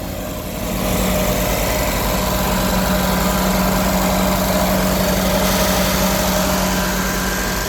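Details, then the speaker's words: 1968 Riley Kestrel 1300 (ADO16) just started on choke with electrical fuel pump running: uneven, lumpy idle with wavering beat, slightly better than first start but still poor; a possible air leak is suspected, cause unconfirmed. "I mean, she's a bit happier than the first time I heard her. A little bit happier, but it's still not great, is it?"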